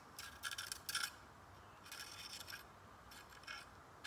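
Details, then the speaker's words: Stihl MS362 chainsaw with a 20-inch bar, used to cut into stumps and showing heat bluing: gritty, rasping bursts as the bar's nose sprocket is spun by hand. The bearings in the front roller tip are worn out. "the bearings in this front roller tip are gone so add that to the mix of junk here"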